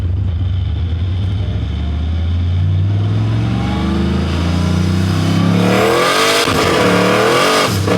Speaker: There's the stumble I was talking about earlier. I'm not sure exactly what that is